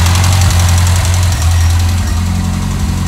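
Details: GT Turbo with fuel pump and starting problems, after repairing the tachometric relay (Cartier 2374): a low, even idle with a steady beat about 220 a minute and no hunting or stumbling. Stable idle.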